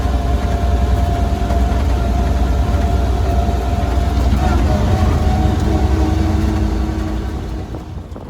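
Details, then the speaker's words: 1934 Ford Model BB dually truck with flathead V8, driving: low, steady gear growl under road rumble drowns out the engine; the gears make the most noise, which is normal. "you really can't hear the engine in this thing when you drive because the gears make the most noise as you can hear"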